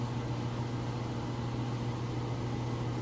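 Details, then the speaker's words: GE washer, inspected, heavy load, final spin with drain running: smooth steady low hum, no thumping, scraping or wobble; spinning fast, balanced and quiet. "It's spinning nice and fast, and as you can hear, it's nice and quiet."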